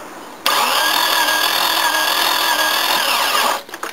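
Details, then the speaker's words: XJ cranking steadily for about three seconds without firing; no coolant, water pours out of the radiator, engine overheated; timing slip or worse damage suspected. "that's all she's got so pretty sure the timing slipped and maybe something else more nasty under here"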